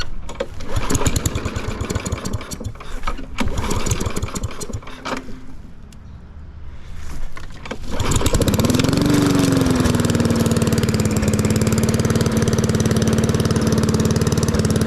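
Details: Lawn mower after fitting a $20 Amazon muffler: after a few cranks it catches and settles to an even, steady idle putter with no misses; runs healthy.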